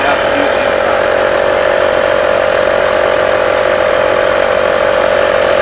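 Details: Skoda Superb Mk1 2.5 TDI V6 diesel, unused since March 2020, idling after a new boost pipe replaced the burst one. Steady idle with an even beat near three per second and a constant high tone on top; runs smoothly after the fix.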